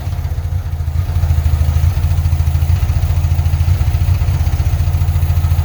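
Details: 1975 Porsche 914 1.8L during fuel pump swaps: low, lumpy idle with uneven beats about three per second and some clatter. The pump was barely dribbling fuel and was found inadequate, so fuel starvation is suspected.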